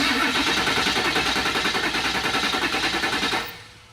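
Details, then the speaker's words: Ford 7.3 Powerstroke diesel cranking: steady, even beat of about three pulses a second with no uneven or fast strokes; compression sounds equal, normal cranking, not the slow crank of weak batteries or starter. "you can hear the engine sounds pretty normal on a 73 you shouldn't hear a very low"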